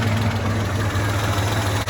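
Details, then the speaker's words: 1985 Ford Ranger after a teardown and camshaft bearing oil fix, with base timing only ballparked and not yet set: steady, even low idle with a smooth beat and no knocks or misses; sounds pretty good. "else sounds pretty good especially for me ball parking and timing"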